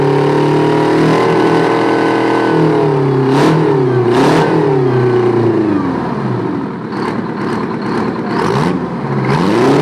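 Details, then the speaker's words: Old Detroit 9.3 L two-stroke diesel, firing every stroke, tops out about 1,800 rpm at full throttle: loud busy howl rising and falling with throttle blips, dense even firing, no knocks; normal idle and rev. "Sounds like it's screaming because it's popping on every on every upstroke. There's no suck, squeeze, bang, and fart on this. It's firing on every stroke."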